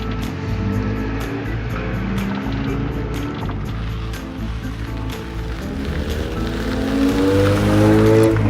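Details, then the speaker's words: Honda EF Civic with new Ksport coilovers on test drive, done smoking: engine pulls smoothly, note hardens and climbs sharply near the top as VTEC engages, music behind; normal VTEC engagement. "It's done smoking. Can you hear VTech, man?"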